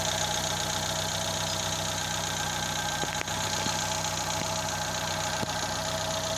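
Engine idling with an irregular light knock riding on top, about three a second, uneven; source of the knock not pinned down. Cause suspected, not confirmed.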